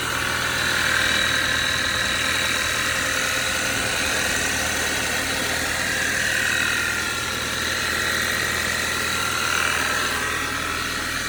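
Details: 2013 Audi 2.0 TFSI gen2, Revo Stage 1, 150,000 km, cold start, engine cover removed; cold idle with light fairly even tick-knock about four per second over hissy top end; owner suspects piston pin but unsure, source unconfirmed.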